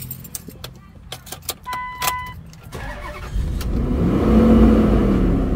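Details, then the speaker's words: 2004 Dodge Durango after bad fuel was siphoned from the tank: a few clicks, then the engine catches and settles into an even, steady idle with no stumbling, running much better than the earlier rough running. Normal engine start and idle. "and now it's running a lot better I still don't know how this thing is running though we sucked all the gas out"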